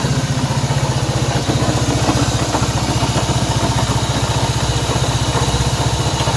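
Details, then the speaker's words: Honda CB190R single-cylinder engine at idle: even pulse about three beats a second with an odd ticking on top; strange engine noise, source not yet found. "Bien, aquí tenemos una CB190R y el problema que tenemos acá es un ruido extraño que tiene esta moto. Así que vamos a saber por qué hace ese ruido."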